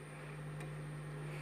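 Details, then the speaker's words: Constant low, even hum from a power amplifier's speaker with volume at the 3 o'clock position; silent with no input, hum appears once the input cable (from a Bluetooth module) is connected; poor-quality or messy input cabling suspected. "bisa jadi sahabat-sahabat menggunakan kabel yang kurang bagus kualitasnya juga bisa menimbulkan suara dengungan seperti Contohnya seperti ini"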